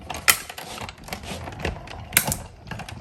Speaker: you can hear the crackling but that is normal so you can see the detail here now